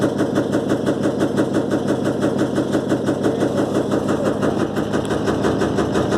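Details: Electrolux LTE12 washing machine during a suspension test: a steady, rapid clatter of roughly three beats a second never eases at spin speed, as the tub bangs about.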